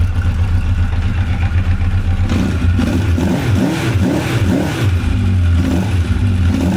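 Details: 1985 Honda CB1100F four-cylinder, sat 20 years in a barn, first start after carb cleaning and new gas: steady idle rising cleanly to about 9,500 rpm and falling back evenly; bogged slightly on the first rev, then normal.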